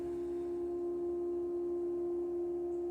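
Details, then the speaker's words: 1974 Chevy Vega, engine off: steady electric buzzing hum as the electric fuel pump primes after fuel tank leak repairs; fuel pump working normally. "see if you guys can hear the fuel pump you guys hear that buzzing fuel pump is working"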